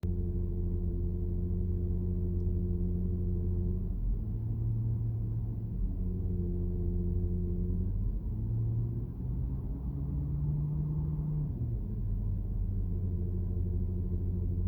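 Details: Porsche Cayenne Turbo cabin recording while driving: low droning PDCC active anti-roll hydraulic whine/hum with tones shifting, sometimes jet-like; normal for the system, attributed to lack of a pulsation damper, condition fine.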